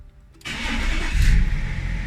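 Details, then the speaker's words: BMW E39 M57 3.0d, previously hard starting, low lift-pump pressure (2.95 vs about 4 bar) and no power above 3500 rpm; lift pump now 3.5 bar: quick cranking, instant catch, steady diesel idle; starts cleanly. "widzicie zapala bez problemu"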